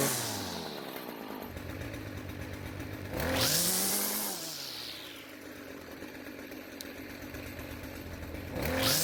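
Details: Stihl string trimmer that would not reach full speed, now after the fix: a high, buzzy two-stroke wail climbing cleanly to full revs in repeated pulls, much louder than before as exhaust leaves with less restriction; normal full-speed run.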